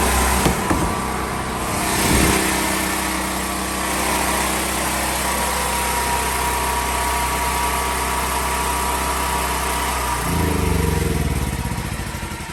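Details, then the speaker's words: Propane generator gives a quiet, even hum beating about four times a second, then winds down as the gas is shut off. The earlier no-start was traced to the regulator set too high, which blocked gas flow. Healthy running. "This is how quiet my generator is."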